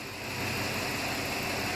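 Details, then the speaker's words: Truck with a used replacement engine (shop says about 50,000 miles) fitted after the old one hydrolocked, 4WD actuator also replaced: quiet, even idle hum with no knocks, ticks or misses, normal idle. "other than that I'm pretty stoked with it the engine is pretty quiet you could hear it hum"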